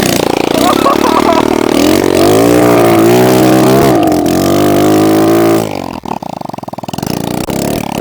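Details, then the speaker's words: Kawasaki KLX110 pit bike first start after rebuild, exhaust forgotten and possibly no oil: raw, loud single-cylinder bark climbing and falling with revs before settling; open-port noise from running without exhaust. "oh my God I forgot to put the exhaust on just started dude"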